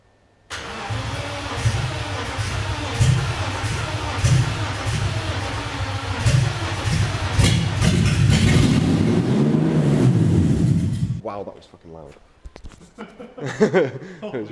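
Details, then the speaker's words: BMW E36 drift car after engine swap, first start with no exhaust system fitted: engine catches, runs rough and very loud with a harsh raw unmuffled bark, then dies; excessive exhaust noise. "because you just wanted to read it [ __ ] off them and it was a stupid loud"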